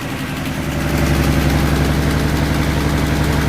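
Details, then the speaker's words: 1966 Mustang V8 stored for years, first start after no-start, foot off the gas: loud raspy idle with sharp puffing chuff on each firing pulse, a big exhaust leak. "Foot is off the gas. Oh, that is one big exhaust leak. Yes. Yes."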